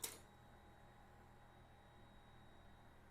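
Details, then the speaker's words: Lifan KPM 200 motorcycle no-start diagnosis, key on: faint steady high hum for about three seconds then cut-off click; normal fuel pump prime cycle building fuel pressure. "did you hear that for about 3 4 seconds the fuel pump came on and then shut off that has to cycle otherwise you won't have any fuel pressure to start your bike"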